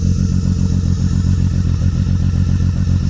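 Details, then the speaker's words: BMW E36 convertible idling with the muffler off: a loud, lumpy, uneven thumping of about 3.5 beats a second from a cylinder misfire. The owner next unplugs them one cylinder at a time to find which one is misfiring. "So it clearly has some type of misfire, and especially without the muffler on it, it makes it even louder."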